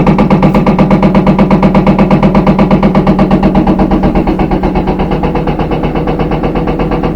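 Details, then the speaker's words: Front-load washing machine spinning empty at high speed with heavy banging, almost three knocks a second, coming from the back. This is a bad rear drum bearing; the noise may vanish at certain rpm. "kind of banging around like that if it's empty you shouldn't be getting that much vibration but that's how you know you have a bad rear bearing"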